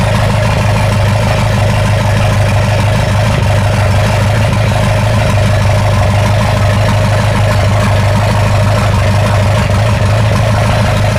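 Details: Ford 2.3L turbo sand rail engine after timing adjustment: rough, loud idle with light irregular clatter about three beats a second; sounds better than before, but clatter cause unclear; a half success.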